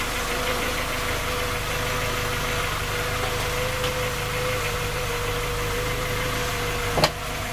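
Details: Skoda Octavia A5 facelift 1.6 MPI, engine knocking when cold despite three engine repairs that did not find the fault: cold idle with a steady hum and faint tapping in the running; cause cannot be pinned down.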